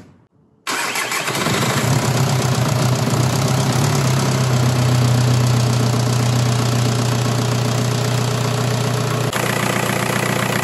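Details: VW TDI ALH diesel (1999–2003) after timing and serpentine belt replacement and power steering refill. Starter whirr, then catches at once and settles into a steady, even idle with smooth clatter and no misses: normal start and idle.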